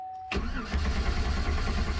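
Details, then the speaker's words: 2009 GMC Sierra 1500 4x4, stolen and recovered, new key programmed; steady starter cranking that never catches, check engine light on, no RPM signal on tach; diesel fuel found in gasoline tank. "I programmed the key to the vehicle yesterday using GM Service programming laptop and the MDI 2 here and so now it actually cranks but it doesn't start check engine light comes on"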